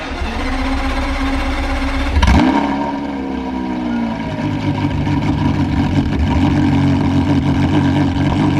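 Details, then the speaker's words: Porsche Carrera GT V10 after recall work, started after sitting 7 months: starter whir, fires with sharp flare, settles to smooth steady high idle, no misses or knocks; normal cold start. "Let's fire up then. Here we go. Let's see if she starts after 7 months. There we go."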